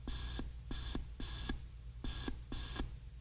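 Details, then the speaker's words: RCA CR-88 receiver: high BFO tone cuts in and out in uneven bursts as the BFO variable capacitor control is wiggled, as if not making connection in one spot; intermittent BFO control connection. "so I'm just wiggling the control right now so it's almost like it's not making any connection or in that one spot at any rate when I move it"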